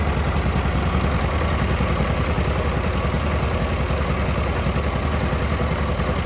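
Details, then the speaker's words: 1940 Minneapolis-Moline RTU tractor after sitting too long, with fresh plugs and fluids: started right away with little throttle and no choke, then a steady, even low thumping idle, no misses or hunting; normal idle. "Um, didn't have to have much gas. It just started right away."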